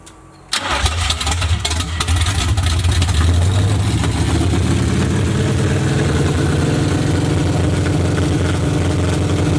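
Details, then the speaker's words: Box Chevy build after ignition switch replaced and fuel pump turned on: brief crank, catches at once and settles into steady even deep idle; normal start and idle. "All right, I'll try to crank this thing up."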